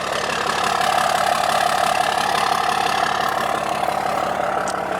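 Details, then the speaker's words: 6.7 Cummins Mega Cab dually diesel with turbo-back exhaust idling: steady even clatter about three pulses a second, no misses; normal diesel idle. "So like I said, this is a turbo back exhaust. Sounds good."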